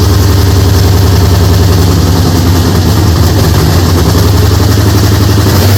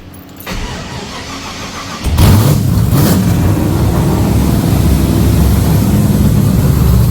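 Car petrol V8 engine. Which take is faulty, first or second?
first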